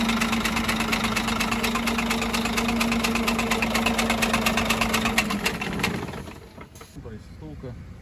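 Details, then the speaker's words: Scania 13-litre diesel truck engine at idle, overheating questioned: steady, regular knock about two a second that stops when the engine shuts off; suspected damaged connecting rod or rod bearing on cylinder 5, to be inspected. "шатуна разбита либо вкладыш именно пятого цилиндра будем смотреть что у нас здесь"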